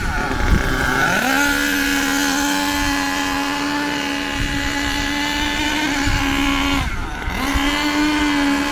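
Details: HPI Savage nitro RC truck engine, warmed up: a high buzzy tone sags without crisp pickup, sluggish with a lot of smoke. It is running rich, and the fix is turning the high-speed needle in about 1/8 turn.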